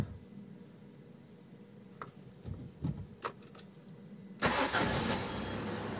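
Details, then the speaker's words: Peugeot 206 CC running on E85 ethanol, cold start: some clicks, then a quick crank that catches at once and settles into a steady, even idle. Clean cold start with no problem; the reported problem is to be checked hot. "tu vois démarrage à froid j'ai pas de problème donc on va faire le sait maintenant à chaud"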